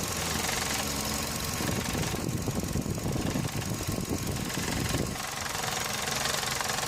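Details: Running engine heard through a selfie stick pressed on the part, knuckle to phone mic: a dense rattling buzz, previously diagnosed as a loose radiator fan housing.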